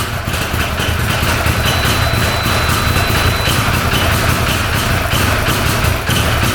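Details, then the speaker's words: 2013 Arctic Cat Wildcat 1000cc V-twin UTV after fixing an intake air leak from a missing O-ring; steady, even idle with settled low rumble, no hunting or surging, idle much lower, running on both cylinders; healthy. "problem that sounds a little better well I'm pretty happy with that sounding really good yep it's running on both cylinders"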